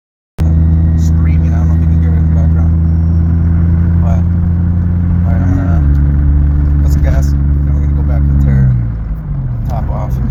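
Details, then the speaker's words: 2001 Honda CR-V, about 25 years old, with a failing water pump replaced a year earlier along with the timing belt; it shook badly and runs with a lumpy, stumbling beat; owner suspects a worn pump pulley throwing the timing off. "But eventually um, at some point I got to light and the CRV just started shaking like when the timing is off it just started shaking all crazy."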